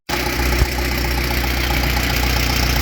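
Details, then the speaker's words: 2012 Chevrolet Cruze 1.4L turbo petrol after a head gasket job, still burning off oil: steady idle with an even low hum and no misfire on startup; normal idle. "Still runs good. Didn't misfire a bit when I fired it up either."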